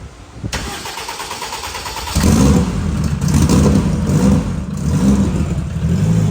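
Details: Race Civic after fitting a new turbo, first fire-up: cranks, fires and settles into a steady even idle with a faint high turbo spin on top; runs fine.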